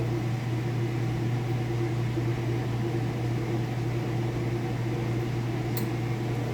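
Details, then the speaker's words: Kenmore Elite king-size top-load washer at full spin before lid switch shuts it down and brake stops it quickly: smooth steady low hum, no knocking or scraping; smooth operation, healthy. "I said, nice, smooth operation. Sounds great. Flip that out. And it actually has a brake that it applies, so it comes to a stop nice and fast."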